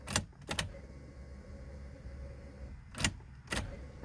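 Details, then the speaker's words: 2000 Corvette C5 long stored, which starts then stalls: two clicks then faint steady whir for about two seconds at key-on, fuel pump priming, cycled to build fuel pressure. "i can hear the fuel pump coming on it comes on for a second hear it again"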